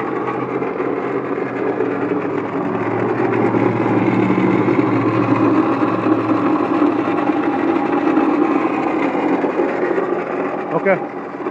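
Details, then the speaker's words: 1997 Honda Accord idling with a loud rough rattle and gritty grinding from the front pulley/belt end of the engine, a fast uneven chatter; diagnosed as a bad water pump, bearings likely failed. "okay okay we found what the problem is the problem is the uh water pump all that rattling and stuff you heard was the water pump bearings probably went bad"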